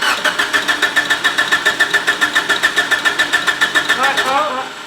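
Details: Mitsubishi Evo 8 with new engine, base map, a few hundred to 1,000+ miles, cranked with injectors off during dyno-day noise diagnosis: steady cranking about three and a half beats a second with a thin high whistle from the power steering pump shaft.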